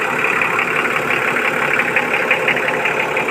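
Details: Vehicle that wouldn't start due to low battery and contaminated fuel filter: even, steady idle with no knocks, misses or surges; engine sounds healthy and settled, normal idle.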